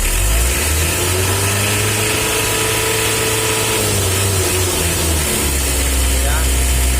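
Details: Mitsubishi L300 diesel driving after a tune-up adjustment: a steady, even drone with a faint fan whir, no straining or roughness; engine smoother and pulling well, normal running.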